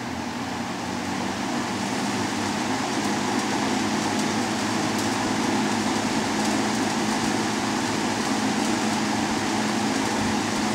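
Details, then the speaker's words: Vintage Dominion 20-inch box fan model 2079, 1.7 A 125 W Fasco MO-722 motor, dirty and needing oil, as received; on high an even steady whoosh of air with low motor hum, no rattle or scrape: normal running on high. "now go ahead and fire it up I did test it so it does run start on high work our way to low"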